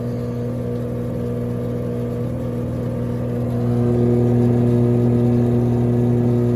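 Steady low roaring whir with a firm hum that grows louder as the drum spins up, typical of drum bearings gone bad after water got in.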